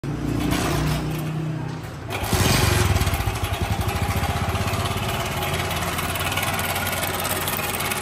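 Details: Honda CD 70 70cc motorcycle single idling: fast loose metallic clatter on each beat, about three to four per second, from a worn slack timing chain; fixed by replacing timing chain.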